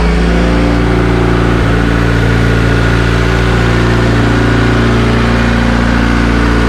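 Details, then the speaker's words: Honda EK Civic with a freshly built Vitara D16 turbo engine on its first start-up, laptop connected, coolant barely warm after 1-2 minutes, intake air 22°C; steady fast even note stuck high around 2000 rpm. "So the fact that it started and ran and idled, and even though it was high, that's a pretty good accomplishment and achievement for me, so I'm happy with that."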